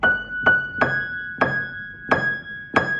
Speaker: the buzz is gone it was just the screw rattling on the pressure bar